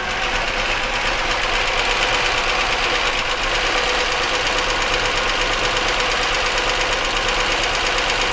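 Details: 1999 Chevy Malibu 3100 V6 running with a busy, irregular metallic ticking about three beats a second; internal engine knock, oil pressure measured 35 psi, owner suspects oil not reaching top end rather than worn bottom end; unconfirmed.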